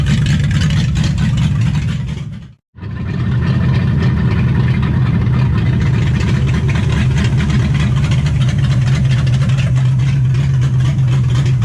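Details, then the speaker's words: 1955 Chevy at its first start in 16 years, with ignition timing not yet set and an unfamiliar carburetor not yet adjusted: deep, uneven, loping idle with a hunting hum that briefly cuts out, then resumes; rough running from untuned timing and carburetor. "all right so at this point we're getting the timing light ready we're gonna try to time it and trying to figure out how to haidle this thing down because this corporator is not one that I'm familiar with and someone made my father has lost paperwork so it runs like ass"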